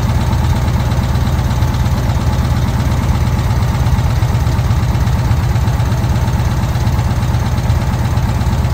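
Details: VW Kombi air-cooled engine after a carburettor jet change, idling during air mixture adjustment: steady, even chug with no misses or knocks, carburettor running properly; normal idle.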